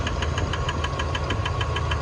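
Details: 1999 Dodge Dakota 4x4 Sport, 3.9 V6, 200K miles, at idle: sharp even clicks about four to five per second following engine rotation; belt looks okay, owner suspects a pulley; rhythmic ticking at idle, cause unconfirmed.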